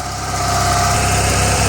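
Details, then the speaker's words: Toro 616Z zero-turn mower twin idling after the loose spark plug tip was tightened, which had made it sometimes run on one cylinder; smooth, even low thrum with no misses or knocks, running healthy. "Runs like a dream."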